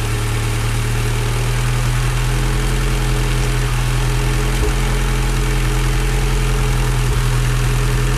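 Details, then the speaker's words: Honda Civic EJ9 idling after final optimizations, checking whether the sound changed; steady even idle with a smooth low hum, no knocks, ticks or misses, runs cleanly; normal idle. "a l'air pas mal du tout"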